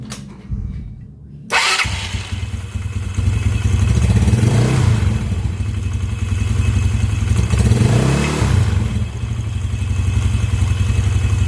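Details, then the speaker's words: Yamaha Mio scooter after repairing the noisy starter one-way clutch (replaced starter bearing) cranks, catches, blips twice, then settles into a steady, even idle with no grinding or rattle; normal idle, noise fixed. "Hah guys, untuk proses perbaikan dari oneway yang terdapat di motor Mio ini sudah selesai dan hasil pun sangat memuaskan ya teman-teman dan tidak berisik dan risih ya membuat risih telinga kita ya."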